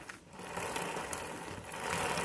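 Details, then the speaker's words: YCF motorcycle pre-ride check, rear wheel spun by hand: light quick chain rattle, no crunch or grind, no side play; wheel bearings normal. "là le bruit qu'on entend c'est la chaîne c'est pas le roulement on bouge un peu la roue sur le côté pour voir pas de jeu impeccable"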